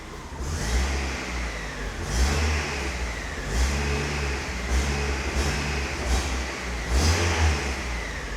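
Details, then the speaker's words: Miata with a brand new alternator, charging well, oil pressure 60: engine revs rise and fall with a faint high whistle on each rev, louder than before, felt like knocking; owner wonders if the water pump causes it; source unknown. "I have no idea what's up with it to be honest. It's even a louder whistle."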